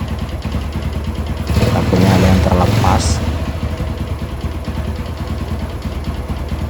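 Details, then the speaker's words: Yamaha Jupiter MX, after replacing broken clutch parts with imitation part and new clutch plates, kick-started; single cylinder ticks over at steady idle with short throttle blip, no knocks or rattles; running fine. "kita coba gas dalam keadaan baik-baik saja"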